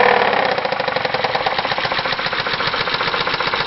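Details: 2001 Chrysler Concorde, Mopar 2.7 engine with 108,000 miles, sharp rapid knock at about four per second at idle keeping pace with the engine; worn-bearing knock from design-flaw oil sludge, engine to be replaced.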